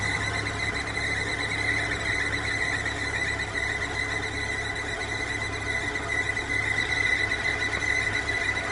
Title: Barulho na correia dentada